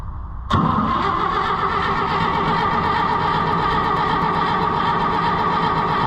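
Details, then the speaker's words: IH Farmall 560 tractor, owner had changed the timing: the starter spins the engine at a steady, even whir with spark but no firing; out of gas, with air in the sediment bowl. "can hear it sparking. Huh? I said I can hear it sparking, but I don't hear any running. It's got, yeah, gas is on, right? No, it's out of gas. It's out of gas."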